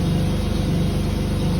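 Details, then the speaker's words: Pontiac Grand Prix at idle after exhaust welding: rapid even puffing tick under low rumble from pinhole exhaust leaks, muffler also leaking. "Oh, the muffler's leaking on this one. Oh, there's another pinhole right here."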